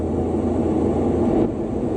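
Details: AC system at 225 psi standing pressure, after an H10 detector hit in the area: the ACCUTRAK VPE ultrasonic detector, heard through a Bluetooth speaker, gives a steady rushing hiss, pinpointing a refrigerant leak at this spot.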